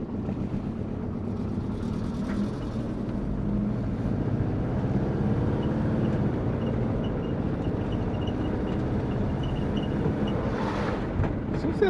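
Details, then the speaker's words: Twin-turbo Subaru Forester, warm at about 80 degrees: idle with rough puffing rumble and faint ticking from an exhaust leak at the turbo wastegate, possibly also manifold to up-pipe. "i've got a bit of an exhaust leak actually wasn't it"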